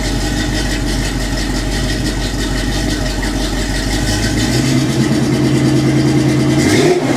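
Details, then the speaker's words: 1984 Chevy K20 V8 at idle after swapping cheap fiberglass-packed turbo mufflers for Flowmaster 5246 mufflers, torqued to 45–60 ft-lb: deep, steady even burble with a brief rev; sounds much better and deeper than before. "well that sounds much much much much better"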